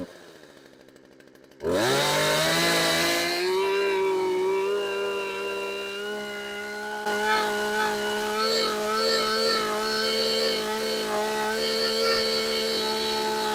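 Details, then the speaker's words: Craftsman chainsaw that sat outside for years, cold start after repair: fires on the first pull and holds a clean, steady buzz that smooths out as it warms, with wide-open blips and idle. Normal cold start and running. "I'll give it a couple wide opens and some idle time and then we'll run it so let's see how she does on a cold start"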